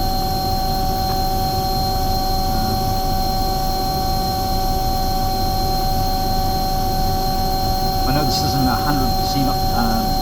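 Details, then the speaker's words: Omni/EconoHeat/Morrheat waste oil heater burner after cleaning and nozzle service; dirty oil buildup had been igniting and causing problems; steady even roar, no flutter or sputter, no smoke, old oil burnt off; burning cleanly, normal operation. "and it's it's running really really nicely like there's no smoke at all um the oil that's in there is burnt off"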